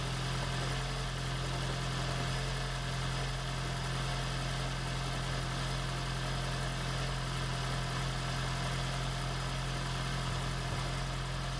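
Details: 2016 (4th-gen) Prius engine freshly swapped into a 2012 Prius V; smooth even spinning hum, steady low drone, no firing pulses, motored for an oil-pressure test before first start. Oil pressure reached.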